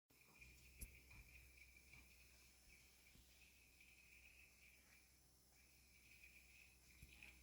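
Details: New Blomberg fridge in a quiet room: a thin, high chirp that comes and goes in short insect-like spells; cause unknown.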